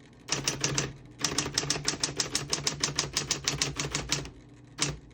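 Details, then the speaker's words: 1960s Smith-Corona Coronet Electric 12 portable electric typewriter, plugged in, typing on single line spacing. Crisp keystrokes about three per second over a steady motor hum. All keys type cleanly, none skip or stick. Normal typing. "all the keys type nice and none of them skip or stick."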